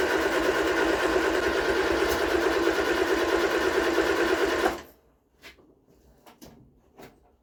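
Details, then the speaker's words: Vauxhall Viva HC with freshly rebuilt carburetor: steady cranking at about three turns a second for nearly five seconds, never catching. It fires on carb cleaner but won't start on fuel in the carb, traced to water-contaminated fuel. "kicks over lovely she's fire and lovely but when you put a bit of fuel in the cob she won't start"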